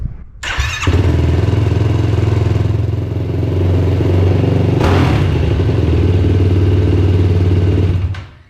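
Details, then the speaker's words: Yamaha YFZ450R XC race quad on 12-volt starting, briefly warmed on a milder day: short starter whir, then the single catches at once into a steady, even idle; clean start, for comparison with the 24-volt kit. "I let it run for just a little bit and it is starting just fine."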